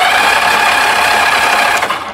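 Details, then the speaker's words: 1982 Honda Goldwing GL1100 barn find, sat about 20 years, wires jumped at the plugs to test spark: starter spins engine briskly with an even whir but never fires; no spark, ignition coil to be checked next: crank no start. "no no okay okay starter crank's nice though it does"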